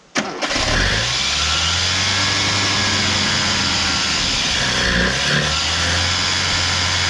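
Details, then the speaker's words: 1987 Mitsubishi Sigma 2.6L Astron, manual, revived after about 20 years unused: catches after cranking and holds a fast, slightly ragged speed near 2000 rpm instead of idling. Carb suspected after fuel-system work; it nosedives and cuts out without throttle. "Something unhappy here. Well, after screwing with the fuel system for ages, I can get it to run, but it won't idle."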